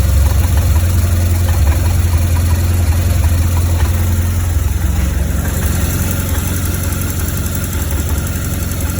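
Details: 2004 BMW R1200GS boxer twin with 36,000 km: low, uneven, lumpy idle thump coming from the right cylinder head. Valve clearances, rocker arms, spark plugs (not fouled) and primary and secondary ignition coils were checked; cause not found.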